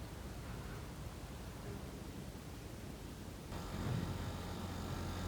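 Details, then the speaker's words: Outdoor condenser compressor of a 25,000 BTU Central Air air conditioner that blew only air and didn't cool, indoor unit set to cool 26°C: steady low hum with faint whine as compressor starts and runs normally, hot air blowing out. "คอมเพรสเซอร์ทำงานแล้วนะครับแค่ฟังจากเสียงก็น่าจะรู้แล้วนะครับถ้าคนเคยฟังเนาะเนี่ยเสียงแกบๆนะครับเหมือนเอ่อเป็นเสียงของคอมพิวเตอร์เซอรนะครับ"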